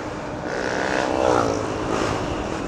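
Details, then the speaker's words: FKM Ranger 150 motorcycle (said to be GY6-based) on a test ride after two 2-hour engine soaks: smooth, even engine note swelling as it rides past, no knocks or rattles; engine quieter and finer. "Ngayon pa lang eh, yung ginawa kong 2 beses sa 2 oras na nakababad, gumanda yung tunog ng makina, pumino."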